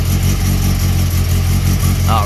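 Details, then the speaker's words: 1992 VW GTI track car, 2.1 stroker 16v with 288 cams, idling after a temporary exhaust leak patch and a power steering leak fix: steady, deep, even rumble with no puffing or ticking; exhaust sealed and healthy. "so right away i can tell you the exhaust is great compared to what it was and then there does not appear to be any powered steering fluid leaking out"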